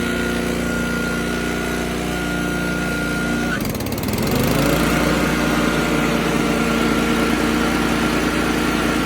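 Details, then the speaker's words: Toro TimeMaster 30" mower with transplanted Honda GCV190 engine, carb jet replaced with a bigger, less restrictive one: steady buzz, brief dip then picks straight back up and holds even pitch; does not bog. "with the bigger jet the machine is just the beast it does not bog down at all"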